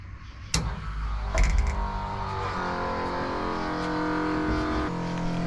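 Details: Plymouth Mopar A-body with a 360 Magnum, first fuel-pump run after adding about 2 gallons of gas: a click at key-on, then a steady, even low electric hum as the pump primes the lines and fills the big nitrous line. No leaks seen.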